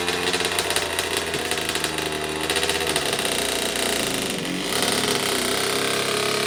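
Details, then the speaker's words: 2009 Kawasaki KX85 two-stroke, freshly started after a carb clean and reassembly; the wrong fuel ratio is suspected: it crackles and stumbles unevenly with a ragged, raspy exhaust note. Rough running. "Okay, we got it started. That's a huge win."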